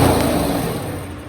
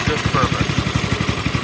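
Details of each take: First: Polaris 110 kids' snowmobile, non-starter: compression checked (110–140 psi expected) and spark confirmed, then carb cleaner sprayed into the cylinder gives a single strong firing burst that dies away. Fuel delivery fault; carburetor and fuel system next. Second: Polaris 110 kids' snowmobile that hadn't run in a while, after bypassing the non-working governor with a direct throttle rod to the carburetor throttle plate: pull-started, it settles into a quick, even putt-putt idle with no stumbling or hunting. Normal idle.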